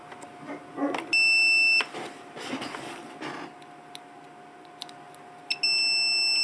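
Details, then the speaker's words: 1984 Corvette Cross-Fire Injection fuel pump relay bench-tested with a multimeter, unpowered, coil reading 56 ohms across B and C: two steady high beeps under a second each between A and D, showing continuity through closed contacts; normal. "so you should have continuity without anything without any power at all between a and D"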